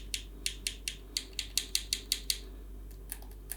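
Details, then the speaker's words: New Xbox Series S controller at first setup: about a dozen sharp, bright plastic clicks in quick uneven taps; the buttons are just very loud, nothing broken. "Можливо ви чуєте як клацає геймпад но він дуже гучний"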